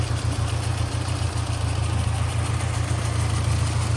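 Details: 1991 SAAB 900 T16 Carlsson turbo, restored 2013 with replacement engine, 261,000 miles shown, warm, recorded under the bonnet: smooth even low idle rumble, no ticks or knocks; normal warm idle, no funny noises.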